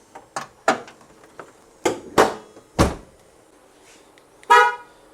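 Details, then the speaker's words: 2011–2015 Honda Odyssey after replacing the faulty hood latch sensor that caused false alarms: sharp horn honks in uneven bursts over a quiet background; alarm horn working normally again. "And the alarm system works again."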